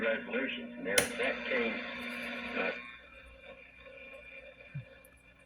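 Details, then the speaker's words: Recapped Zenith 12H092 AM/FM/Phono console radio on the AM broadcast band, local station: steady hiss and crackle behind the audio, suspected interference from room lights, metal roof limits reception. "okay I got the radio recapped and uh it's on a b right now broad class and you can hear some static in there that's my local station it's getting some noise from the lights"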